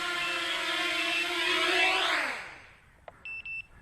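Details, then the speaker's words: Quadcopter: motor whine winds down and stops, then short high-pitched beeps from the flight controller's small buzzer, a low-battery warning because it senses battery voltage through the plugged-in lead. "So the flight controller, because we plugged this plug in there, it knows what the voltage of the battery is. So that was the small buzzer on the flight controller beeping to give us a warning."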